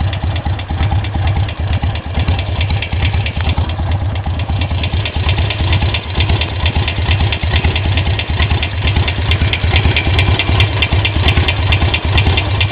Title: Sportster 883 XL low (ticking sound)